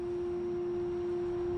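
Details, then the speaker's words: 2018 Chevrolet Cruze LT with aftermarket SL1 9005 LED headlamps switched on: a steady, pure mid-pitched hum from the headlamps' cooling fans spinning normally, the only downside of the upgrade. "the only downside here is you get humming you can hear that"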